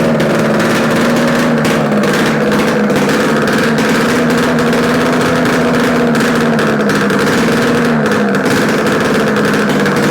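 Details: Yamaha RD250 two-stroke on a test-stand mount with total-loss ignition, running after coil wire swap and carb adjustments; even, buzzy note at steady pitch with slight throttle wander, no knocks or rattles; healthy, likely a good engine.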